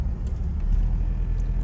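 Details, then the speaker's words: 1991 Fox Body Mustang LX, salvage auction car, second start attempt: deep, steady low rumble with an even beat and no knocks or ticks; runs pretty good at idle. "Attempt number 2 of cranking it up. This little joker actually runs pretty good."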